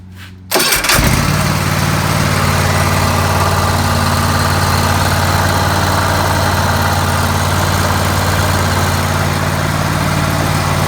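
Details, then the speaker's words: Kohler 7000 engine on a Hustler Raptor 42-inch mower, started after an oil change (2 quarts) to check for leaks: it fires after a short crank and holds a steady, even idle with a deep low thrum, no stumbling or knocks. "Okay, when you change the oil on anything, you always want to check for leaks. So we're going to start it up."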